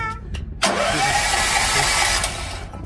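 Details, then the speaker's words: Kohler generator with four-stroke gasoline engine, cold start with choke; cranks briskly about two seconds but never fires, no spark, traced to the magneto. "tampoco no quieres no sé cuál es el problema y si creemos que no hay chispa"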